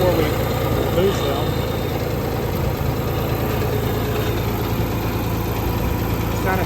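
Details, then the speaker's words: Ford 2600 tractor after valve adjustment, previously one stuck valve: steady, even low idle with only a faint light tapping under the valve cover, much less than before; normal idle. "so these are pretty noisy but you hear a little bit of tapping ignore ignore that whatever that noise is but you hear a little bit of tapping under the Val cover but not like it was before"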